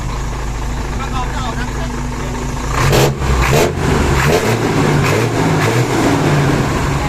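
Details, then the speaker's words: Hino Mega 500 J08C diesel right after valve clearance adjustment, previously clattering from excess valve gap: steady low idle with an even beat and no top-end tapping, described as dead quiet. Normal idle. "หายเลยไปหายหายเงียบกริบเลยก็วัดกันที่ผลงานนะฮะเงียบกริบครับพี่น้อง"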